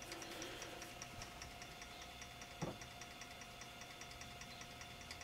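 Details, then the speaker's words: IBM 5155 Portable PC 5.25-inch double-density floppy drive in an RPM speed test, rated 300 rpm: light, even whir with soft regular ticks about 2.5 per second, spinning steadily and healthy. "it's a speed test test RPM so these drives run at 300."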